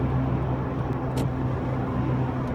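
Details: Mk3 VW Golf driven at about 50–55 km/h: a steady low hum with a pulsating whine and low vibration over road noise from a worn wheel bearing.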